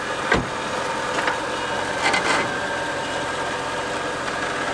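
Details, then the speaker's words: Volvo XC90 V8 with a creak front left, worse when steered right: a few sharp uneven creaks over a quiet idle. Cause is cracked, poor-quality body repair, metal under stress; self-tapping screw removed to test. "Можно конечно, выкрутить саморез и попробовать, я думаю все дело в том, что металл в напряжении находится..."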